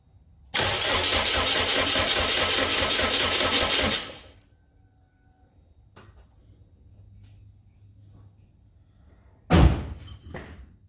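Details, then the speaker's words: Subaru Brat with WRX engine swap, no spark found after cleaning crank and cam sensor wheels, starting fluid sprayed into throttle body: steady cranking with even compression pulses for about 3.5 seconds, never fires; cranks, no start. "alright guys I'm so stumped on this um almost now I'm not seem to be getting any spark I don't get it"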